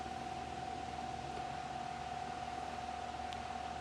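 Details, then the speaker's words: Fasco Charleston 38-inch ceiling fan on test rig, low speed, blade arms bent up and down: faint steady hum with soft airy hiss, no ticking or scraping; running smoothly and slowly. "It's got a really nice aesthetic. Low speed, I forgot how slow these things run."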